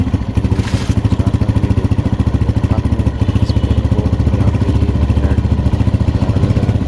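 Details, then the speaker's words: 2022-model motorcycle before repair, engine running, microphone on the engine: fast, even metallic ticking rattle at about three to four beats a second over the idle, the cam pin vibrating. The fix is to be done from the magnet side without opening the cylinder. "इसमें start करेंगे और कम की जो pen होती है उसकी भी आवाज है वह वाइब्रेशन कर रही है"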